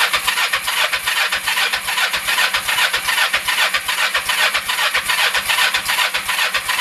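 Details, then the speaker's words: 1996 Kawasaki Vulcan 500, first start after carb work, cold, on half choke: slow, uneven putt-putt around 150 beats a minute, barely holding idle; owner suspects idle set too low or the engine too cold. "all right little half choke here maybe at all I have the idle set too low thank you all right it might just be too cold"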